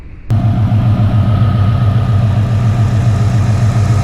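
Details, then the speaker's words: 2000 Ford Explorer 5.0 V8 with Meziere WP374 electric water pump, after replacing the screeching idler bearing and fitting a shorter belt; engine fires and settles into smooth steady idle, no screech or chirp: normal idle after repair. "Definitely sounds much improved. I don't hear the crazy wackadoodle sounds that I was hearing earlier."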